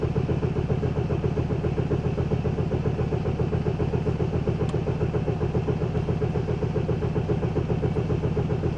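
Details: Opel Vectra B 2.2 DTI diesel with a starting problem: steady cranking, about four heavy low compression beats a second, never fires; cranks but won't start.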